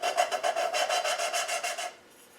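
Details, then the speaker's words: Cylinder head valve being lapped with fine cutting compound: even back-and-forth rasping strokes about five a second that go quieter, then stop; normal lapping into the seat. "you'll hear the the noise the grinding it starts to go quiet now"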